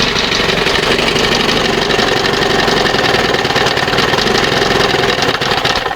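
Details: 1971 Johnson 20 hp outboard with wrong high-speed carburettor jet, causing unburned oil and fuel; loud ragged two-stroke buzz, uneven shaky firing, shaking all over; rough running.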